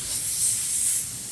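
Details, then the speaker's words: Badger 105 Patriot airbrush on a compressor; a continuous high, even hiss with the trigger untouched, as the cheap air valve is stuck open and leaking constantly; the fix is a replacement valve part. "that's annoying right it won't shut off I I think it got stuck um it happens quite a bit because I use these constantly these airbrushes"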